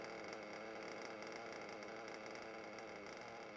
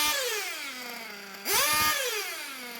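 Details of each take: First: Nitro RC engine after repeatedly leaning the low-speed needle and reducing the idle gap; quiet, even high-pitched buzz with no surging or hunting: normal idle. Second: RC nitro engine being tuned from a rich setting, high-speed needle adjusted first and idle lowered; high buzzing idle sagging steadily in pitch, a short rev that won't rev up and slow fall; low-speed needle too rich, needs leaning.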